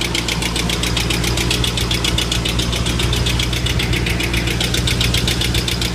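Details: 2005 Mustang GT V8 at 108k miles, on Mobil 1 5W-20 with a K&N oil filter for the last 15k miles: at idle a fast, light, even ticking rides over the low engine hum.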